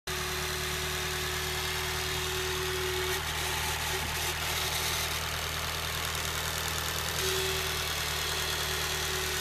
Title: sr20det strange noise ??? pt2